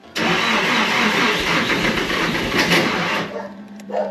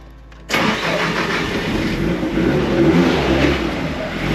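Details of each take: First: Nissan S13 Silvia with Haltech ECU after crank pulley repair, cranking on a jump with very low battery voltage and fuse bypassed: rough churning for about three seconds without catching; low voltage, which the Haltech dislikes, prevents starting. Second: Nissan S13 Silvia with Haltech ECU, after new parts fitted following crank pulley explosion; weak battery voltage hampers starting. Engine catches quickly and settles into a steady, smooth idle with slight hunt as voltage rises; normal start and idle.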